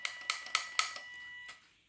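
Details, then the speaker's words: RC dual brushed-motor bidirectional ESC (2S-3S LiPo, 5A) with throttle slightly off-centre: four light, sharp ticks at about four per second, motor never spins up; suspected controller or mixing fault, possibly overheated, unconfirmed. "but this one just I mean it works but it it's not working properly if I have it slightly off center you can possibly hear it throttle's doing"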